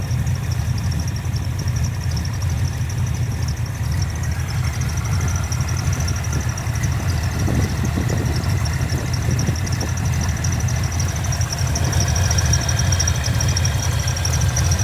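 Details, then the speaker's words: Chevy S10 with small-block V8, after chassis wiring relocation: deep steady V8 idle rumble, alternator audible when blipped, no ticking or hunting; normal idle, voltage about 13 volts, oil pressure sensor reading still wrong. "you can hear that alternator every time I hit it will oh she sounds good"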